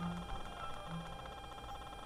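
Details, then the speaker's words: DIY battery-powered Bluetooth audio receiver feeding an amplifier from a lab power supply: steady awful buzz with thin whine from a ground loop, worse once the music player is on, volume down. "and you can hear that awful buzzing that uh that's being caused by that ground Loop"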